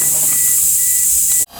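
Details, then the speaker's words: Pre-dyno-tune boost leak test with compressor air through a regulator: loud, steady high-pitched hiss of pressurised air escaping, cut off abruptly; a large, obvious boost leak in the intake, fixed before recharging the compressor. "I know I have one right here and it's very apparent it's so big it may be making bubbles is you know air so let's take care of that one first"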